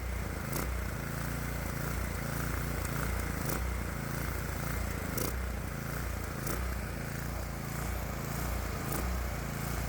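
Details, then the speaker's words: Predator 212 small engine with aftermarket fully adjustable carburetor, mixture set correctly: speed rises and sags in a slow repeating surge instead of holding steady; governor hunting because the governor linkage rod is slightly too long. "The hunting is because this metal rod is a bit too long. The tachometer numbers look okay, but you can definitely hear the governor struggling to regulate the engine speed."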